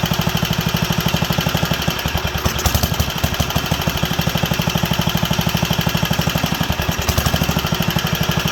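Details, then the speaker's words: Wisconsin AENL single-cylinder barn-find engine, first run in 20+ years after spark restoration and fuel system/carb cleaning: chuffing that sags and picks back up, leaning out and hunting; owner suspects a needle problem. "well it's drawing fuel it's sounds like it wants a little more reds and i turned it down there and or we can uh give her a few more revs let's see how she handles but it's leaning out coming back leaning out coming back"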